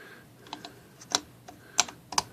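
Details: Typewriter after broken ribbon drive spool spindle pin replaced with bent paper clip: crisp uneven key strikes with sharp metallic snaps; types and advances ribbon cleanly after repair.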